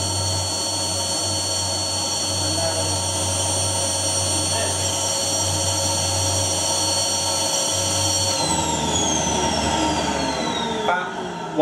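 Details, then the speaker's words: Vacuum cleaner switched on: motor runs with a steady thin high whine and no airflow rush, then winds down when switched off; no suction at all, cause unknown. "I have absolutely no idea what just happened there but the moment I turn out on dad did not seem right and there was absolutely no suction coming through here at all"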